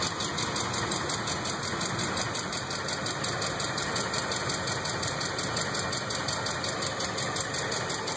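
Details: 2005 Ford F150 5.4 3V V8 at idle, before repair: quick light ticking about three per second over the engine, steady with idle, caused by seized hydraulic lash adjusters (lifters).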